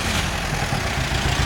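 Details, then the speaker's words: Half-million-mile (490,000 mi) VW Caddy diesel idling with deep clatter and a slightly lumpy, uneven beat after teardown to get it started; running rough and not perfect, but far better than before. "look at that power it's running it's not great but it's 100 better than it was before look at that beauty"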